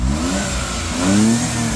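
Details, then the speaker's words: Low-mileage Suzuki Carry kei truck with original exhaust: engine picks up cleanly and smoothly on the rev, no knocks, rattles, stumbling or smoke; a healthy motor. "motor that's the sound of a healthy motor no smoke nothing"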